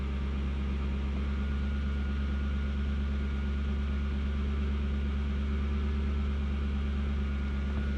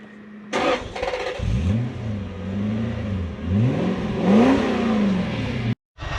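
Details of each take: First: Toyota Soarer/Lexus SC400 V8 that was stalling, after work on the bearings and a plug: starts with a flare, then a deep even burble at about 1000 rpm, steady with no ticking or dips; normal idle, problem fixed. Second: Toyota Soarer/Lexus SC400 V8 that sat a few days and began stalling: idle wanders, dipping and surging as if about to stall; owner suspects sticky idle speed control stepper motor bearings, air leak possible.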